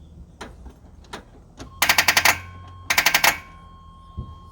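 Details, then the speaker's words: 1985 Chevy C10, 383 stroker with TH350, first start attempt after more than 10 years: two short bursts of rapid clicking with no cranking; starter solenoid wire barely attached, and the starter gear appears to be chewing the flywheel. "the hell are we clicking at sounds like we're clicking at the starter pretty sure it's our solenoid wire it was barely on there"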